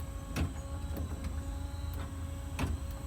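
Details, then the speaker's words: 1950 Chevy with the vacuum wiper motor replaced by an electric conversion kit wired to the ignition, ignition on: quiet, steady motor hum with soft, evenly spaced clicks at each end of the sweep; the wipers are working normally. "um the ignition is on so turn them on they oscillate back and forth"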